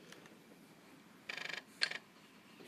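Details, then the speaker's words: IBM ThinkPad X24 docked in Ultrabase X2: quiet room, then a quick run of about eight light ticks and a short chatter as the floppy drive head seeks normally, confirming the drive is recognized. "I don't know maybe if I try seeking the floppy drive"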